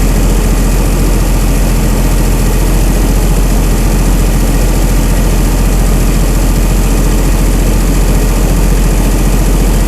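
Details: Chrysler 225 Slant 6 generator engine with new Holley Sniper EFI, cold and warming up; IAC at 100%, probably holding high idle, throttle 0%, weak battery; loud steady fast rumble, even beat, no knocks; normal high idle during warm-up.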